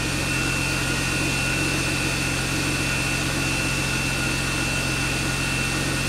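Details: BMW E36 idling after its first start since frame-rail repair, before the cooling and AC work. Smooth, even idle with a steady hum and a light high whine from the belts, no misses or knocks. Engine sounds healthy.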